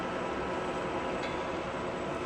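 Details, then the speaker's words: TOS (Czechoslovakia) W100 A horizontal boring machine with 100 mm spindle, running at its maximum 1120 rpm: steady, even whir with no knocks, rattles or grinding. The spindle runs smoothly and nearly silently. "Working of spindle at its maximum speed, that is 1120 rotations per minute. As you can hear, there is no major noise at all. Even at its high RPM also, it is completely silent."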